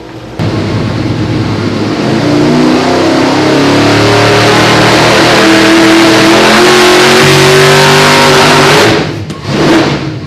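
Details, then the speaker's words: 632 big block V8 on nitrous, dyno pull at full load: brief stumble partway up as nitrous activates and all timing is pulled at once; 4 extra degrees of timing helped slightly, still stumbles; needs timing ramp, fuel fat spot. "So that was what 4 extra degrees of timing does. I did help the stumble a little bit, but you can hear it still stumbles a little bit."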